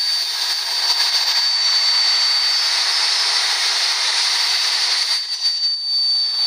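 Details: GM 3800 Series II engine: loud, steady high-pitched whistle over a quiet engine, loudest when cold and almost gone when warm; vacuum leak at the upper intake manifold gasket, fixed by replacing the gasket.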